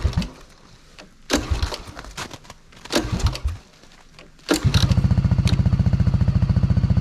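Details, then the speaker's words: 1985 Honda ATC200s three-wheeler at purchase, running on choke: after handling noise the single catches and settles into a quick, even putter of about three and a half beats a second. Nice and quiet, healthy normal idle. "Nice and quiet. Good old Honda."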